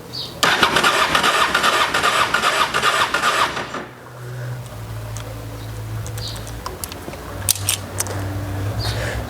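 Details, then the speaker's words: Honda XRV750 Africa Twin after ten years stored, fresh gas, petcock on, choke: starter churns about three seconds and stops without firing; fuel pump not getting power, later traced to a corroded fuse. "And it stopped cranking. Okay. On, off, on. Let's crank it again. Was hoping on getting this thing to run, but apparently the wire that goes from the fuel pump to whatever over there is just not getting power."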